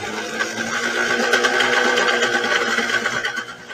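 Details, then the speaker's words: Yamaha Enduro 30 hp two-stroke outboard after a carburetor rebuild and a fuel bulb and hose swap, cover off, after about an hour of running: loud, high buzzing rev held steady with even firing and no misses; normal high rev. "she seemed to be running good I'll rev it up a little bit show you the tack you can hear"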